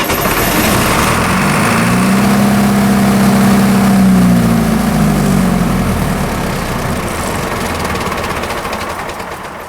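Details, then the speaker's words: Military surplus diesel generator set to 60 Hz, first tests after years of storage: fires and climbs to a strong steady hum, then winds down; field flashing while start switch is held pushes voltage to about 250 V, tripping an overspeed shutdown. "okay I have uncovered a little bit of a problem here with the generator set to 60 turns when you start it up and we holding start switch in the start position the generator is flashing the generator field to start producing power and during that time it's bumping the voltage up to about 250 volts and that's tripping th"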